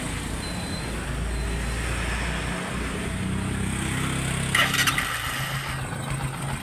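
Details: Bajaj Kawasaki CT 125, about 3 years old, which died when hot; after cylinder head overhaul for poor compression and carb cleaning: single-cylinder holds a smooth, even idle with no stumbling or dying; sounds healthy.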